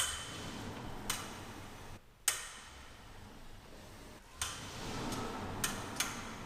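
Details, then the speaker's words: Tesla after rear drive unit warranty work; loud sharp metallic tinging pings at irregular intervals whenever the car starts or stops moving, heard in a quiet garage; cause unknown, follow-up service scheduled. "So as you can see, that's like a really loud, like tinging noise. Like it's like a metal kind of like ping or something when I'm moving."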